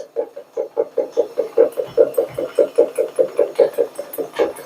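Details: Linea washing machine on spin: heavy rhythmic clunking about two and a half times a second, the drum rattling from a loose drum counterweight.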